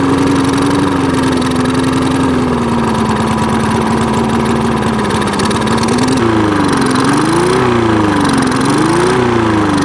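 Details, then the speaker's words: Free push mower that wouldn't start, running after a clogged air filter was cleared. Revs hold briefly, then rise and fall every second or so. Dirty carburettor suspected, needing cleaning: surging idle. "all right guys so uh this thing definitely needs some carb work um as you can hear you see it was running uh revving up and down so there's definitely uh something going on there in the carburetor"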